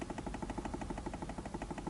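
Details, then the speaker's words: Knocking in the steering of a Toyota Camry 40 nearing 200,000 km, on small bumps and in turns: quick light knocks as the wheel is rocked with the engine off. Play in the worn splined intermediate steering shaft, louder with the wheel in the raised position. Fix is replacing the shaft. "И начинается на некоторых ямках, вы можете слышать такой, знаете, стучок."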